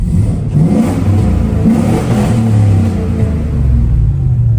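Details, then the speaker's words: Warmed-up $900 truck idling and revving after repair: deep, smooth rumble rising and falling cleanly with throttle, no stumbles, revs better, no black smoke; no stored codes afterward. Normal revving. "Good news, the truck definitely sounds better even just sitting at idle with it warmed up. And uh I'd say it feels like it revs better and we're not [ __ ] out black smoke."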